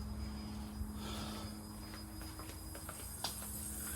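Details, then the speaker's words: Lexus IS300 turbo 2JZ with fuel pump hardwired to bypass the ECM after no fuel pressure and no-start: faint steady hum with thin high whine, perfectly even; fuel pump priming normally. "you can hear the fuel pump running [Music] oh hear that that's that fuel pump that's what we want to hear"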